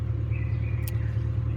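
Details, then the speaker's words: 2000 Ford Mustang 4.6 coil-per-cylinder with code-less misfire, after repair, idling with cooling fan on: smooth even low rumble with no skips or dips; all cylinders contributing, misfire corrected. "no lo alcanzan tal vez escuchar pero el carro está trabajando súper bien amigos súper bien"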